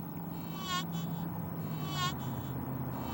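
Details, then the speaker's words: Metal detector in all-metal mode, ground balance baseline about 74.8, set 10 positive to 85: low steady hum with a warbling beep each time coil dips toward soil, pushing noise into ground. Ground balance set too positive. "so what happens if we go positive let's go clear up to 85 and now watch we're 10 positive of that 74 75 number watch what happens do you hear that we're pushing sound into the ground now when the coil goes down I'm getting noise"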